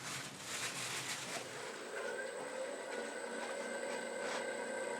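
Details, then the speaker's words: Buck Tool 1 hp variable speed grinder with a freshly mounted CBN wheel, not yet on its base: steady, even whirring with a constant high tone and no wobble or knocking; the shim looks wobbly but the wheel is aligned. Normal running. "but the wheel is in perfect alignment, if that makes sense. So no vibration, everything runs smooth."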